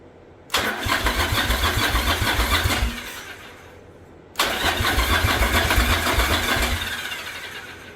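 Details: 1985 Yamaha Virago V-twin barn find with a single-carb conversion on a DIY manifold, on its old plugs, idle turned up: a lumpy, uneven idle with missing beats. One cylinder seems dead and the front pipe is smoking. The owner suspects the plugs or small jets.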